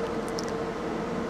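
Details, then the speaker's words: Jaguar XK radiator cooling fan commanded to 100% via scan-tool actuation test: steady whoosh of air with constant motor hum, no grinding or rattle; fan motor and circuit confirmed working at full speed. "Let's put it on 100%, see how loud it gets. Right, 100%, here we go. Wow."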